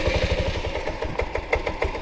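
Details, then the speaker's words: 1984 Yamaha Riva 180 scooter after carb cleaning and reassembly: small single-cylinder putter at idle, beats wandering and uneven, idle not settling; owner unsure of cause, looked at valves but they are self-adjusting hydraulic. "Yeah, the idle is not exactly right on this."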